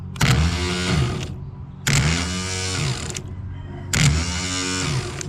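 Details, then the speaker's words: Spare Briggs & Stratton starter off another mower, run on jumper cables on the bench: three short bursts whirring up and down, smooth and even with no grinding, unlike the original starter from the VTwin 22HP mower that grinds. "We don't hear that grinding."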